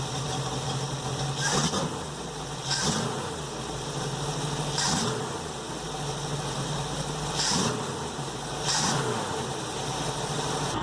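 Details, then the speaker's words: 1973 Fiberform boat V8, restored and then sitting 4 years, cold start with raw-water cooling fed from a hose: a deep rumble settles to an even idle with mild surges. Water spits out with good suction, and it runs healthy. "warm water spitting out there got nice suction under there it running beautifully so I can't complain"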